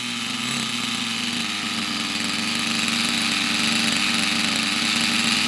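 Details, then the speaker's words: Unknown nitro RC buggy after its very high tick-over was lowered, with a suspected filter problem blown through: high, buzzy, even note holding steady and creeping higher without stumbling, running cleanly. "it's blown through now because that runs really well now so there we go unknown mystery Nitro buggy and she runs nice"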